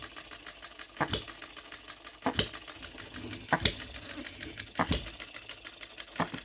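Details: OKMO Retrol B02 miniature petrol hit-and-miss engine on shellite, very first start, straight out of the box with no adjustments: sharp firing pops roughly every second, about fifty a minute, with light ticking between; even, healthy hit-and-miss running.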